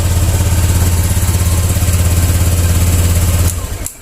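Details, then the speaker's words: Honda Vario 150 that was totally dead electrically, fixed by cleaning a dirty switch socket: it starts and idles evenly with a smooth low pulse, then is switched off. "Yuk kita kontak on. Terus kita starter. Nah, oke, mantap."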